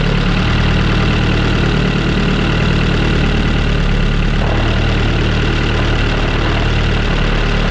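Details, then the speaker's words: Turbo Honda Civic single-cam on new 1500cc injectors, base fuel pressure set too high: heavy, lumpy idle with a faint thud, running rich. Pressure then lowered to about 43, and about 30–32 with the vacuum line reconnected. "Not sure how well you guys can see it, but it looks like our base pressure is definitely higher than I thought. So, we're going to go ahead and bump that down a bit and see if we can't get this thing to idle better."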